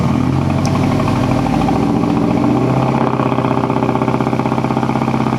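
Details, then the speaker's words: 2006 Mazdaspeed 6 at idle, heard from behind, after the owner hit 2-step and thinks he blew a coil pack; lumpy uneven idle stumbling about four pulses a second, the whole engine shaking, a bad misfire. "I don't know if you can tell there, but there's like a misfire, like a pretty bad one. Yeah, even the engine was doing one of these jobs."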